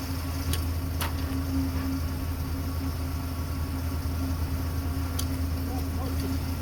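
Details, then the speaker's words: 2003 Dodge Ram V10 8-liter at idle after belt tensioner pulley replacement (old bearing had play, chirped when cold): steady low hum with smooth belt whir, no chirping, pulley no longer wobbles; belt drive healthy. "There's still a little bit of noise there, but the noise is not the, it's just the belt running that you hear. It's not making a chirp, chirp, chirp like it did when it was cold before."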